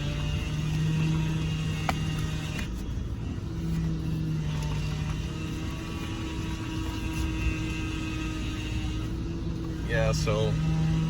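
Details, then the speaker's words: 2000 Toyota Tundra SR5 4.7L V8 idling after sitting a few days, with low power steering fluid refilled before: steady whine that swells as the wheel is turned left and right, from a failing power steering pump needing replacement. "can hear the power steering pump is bad and you can tell by hearing a whining sound when you hear that whining sound that means you have a bad power string pump you need to replace it"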